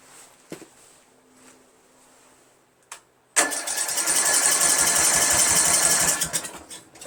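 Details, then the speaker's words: 1999 Craftsman LT1000 lawn tractor, Briggs 17.5HP engine with original Walbro carburetor fitted and starting fluid sprayed in: about three seconds of steady cranking, not even a pop; 130psi compression, valves adjusted, good spark, still won't start. "Choke. Nothing. Damn, nothing. Come on, it should at least pop. Nothing. Not one thing."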